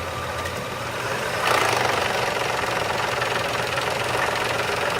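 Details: Engine idling with a hard, fast knock of roughly three to four beats a second riding over the idle, pointing to severe internal engine knock; recorded around an oil change.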